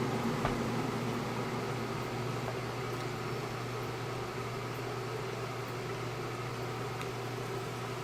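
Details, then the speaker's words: Keurig 2.0 coffee maker preheating its water with the lid closed: a quiet, steady low hum holding evenly for several seconds with nothing rough in it; a normal preheating hum. "so there it is heating again now like I told you buzzer take this pot out but I put my own grounds in I can close this now wait for it to heat up"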